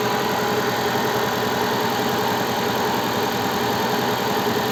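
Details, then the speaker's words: Cold start at -20°C: steady, even fast warm-up idle around 1400 rpm with light, quick injector ticking and no power steering noise; normal for the flashed software, which should drop idle after about a minute and a half. "так как обороты смотрим прогревочные сейчас плохо видно сейчас прогревочный оборот 1400 где то получается"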